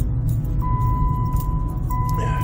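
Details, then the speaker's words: Jeep Liberty with warning lights on: a low, steady growl with a faint ringing tone under the turning front wheel. A bad front wheel bearing. "But I knew it was growling, and this is the perfect example of what you're gonna find when you have a bad wheel bearing. You hear that? Can you hear that growl? Yup. Hear that growl? That's not normal."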